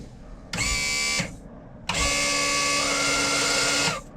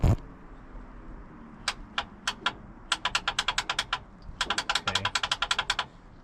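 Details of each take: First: Old sterndrive boat on its trailer with a battery reading 15 volts: the outdrive power trim motor gives two bursts of steady electric whine, short then longer, at even pitch with a clean stop each time. The trim is running normally. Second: Boat, key turned on the first start attempt: bursts of rapid sharp clicks, several per second, with no cranking. The upper starter solenoid clicks but does not engage; the starter is suspected bad and the ignition cables were disconnected.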